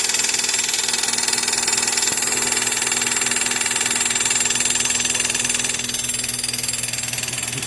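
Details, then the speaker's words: Chevrolet Corsa Classic at idle after a jump start: a hard, high-pitched rattling whir pulsing about four times a second, with the battery warning light staying on; faulty alternator noise. "ó aí é o seguinte tá acontecendo esse barulho e tem a luz da bateria ó ela tá acesa direto tá vendo ó não apaga"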